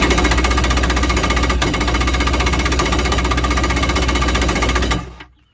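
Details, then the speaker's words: Kawasaki X2 jet ski, about a 1986 hull, after a missed battery wire connection was fixed: about five seconds of fast, even rattling chatter without the engine turning over; starter spins but the bendix isn't staying out to engage the flywheel. "that noise you're hearing is the starter's spinning but it's just not turning the engine okay"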